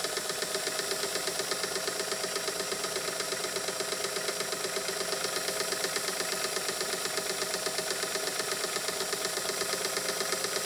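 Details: Singer sewing machine with a 0.95 amp motor, after lubrication: fast, even needle-mechanism ticking with no binding, picking up speed as it frees up, normal running.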